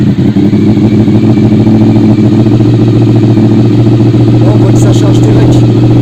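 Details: Honda VFR RC36-2 V4 after regulator replacement, started while a multimeter watches battery voltage (12.80 V before the start): it fires up and settles into a smooth, even low rumble with a steady beat, no knocks or rattles. Healthy running engine.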